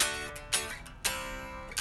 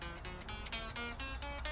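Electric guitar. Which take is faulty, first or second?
second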